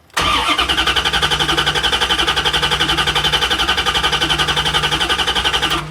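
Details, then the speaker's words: 1994 Chevrolet Corvette with a cold misfire, cranking with the pedal floored to cut injection: the starter spins the engine with an even, unbroken beat of about four pulses per second. Compression sounds balanced; the problem is suspected to be ignition. "This is not a compression problem. This is probably going to be ignition."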